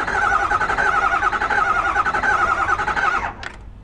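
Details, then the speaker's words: 2009 Ford F250 6.4 L diesel with a misfire, cranking: uneven lopsided beat, about three and a half pulses a second, one weak stroke per cycle; relative compression test confirms a low-compression cylinder, a mechanical issue. "like I said when I crank this engine over there was it didn't sound consistent so that lets us know right here that we do have a mechanical issue"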